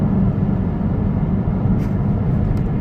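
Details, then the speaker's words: Peugeot 508 2.2 HDi diesel, fourth gear at full throttle without kick-down: a deep, flat drone with no audible turbo spooling, the car lacking power and underboosting; the cause was a stuck variable-geometry turbo. "the car the way I feel it is there is no Turbo okay first of all I can't even hear the turbos pulley or spinning"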